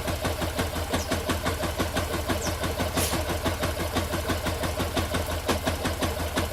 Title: Motor com Barulho Estranho